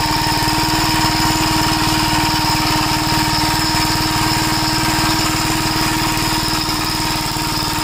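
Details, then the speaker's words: 1961 Gravely Model L tractor single-cylinder engine thumps steadily at about four beats a second with a ragged edge. Popping persists despite richening the carburetor, which acts lean and leaks fuel from the inlet, with the float suspected. "Now it's coming out of the inlet and it acts like it's running lean. No matter how much I richen it up, it does that popping."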